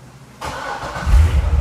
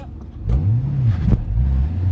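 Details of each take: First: C6 Corvette Z06 LS7 started after the OnStar jumper fix. It catches within a second into a deep, steady rumble, running normally, but a check engine light shows code P0171. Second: C6 Corvette Z06 with LS7 during an autocross run, with early dry-sump oil starvation feared. Revs rise then falter and flatten under load, losing power; the cause is unknown, a check engine light came on after restart, and it drove home fine.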